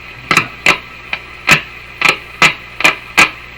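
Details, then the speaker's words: 1950s Canadian Philips 922 multiband tube radio on AM band, powered through series light bulb at about 114 V: sharp irregular crackles and pops over faint hiss when tuning; shorted tuning capacitor with touching plates. "Sounds like there might be some dirt in the tuning capacitor. Aha! It's a short in the tuning capacitor. Shorted."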